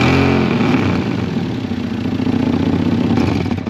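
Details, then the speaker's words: Toyota Supra Mk4 (2JZ-GE): loud, uneven tractor-like chuffing with each firing under throttle; exhaust manifold split clean in half and blowing badly, before repair by welding the original manifold. "so as you heard from that the manifold is blowing quite bad so we're going to have to start stripping it down to have a look and see what's up with it"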